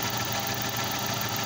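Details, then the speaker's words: Suzuki Esteem/Baleno (Chevrolet) engine started after replacing the PCV valve: steady, even, smooth idle with no knocking, hunting or misfire; normal healthy idle. "Bien amigos, vemos que el motor está funcionando muy bien, tiene un buen sonido."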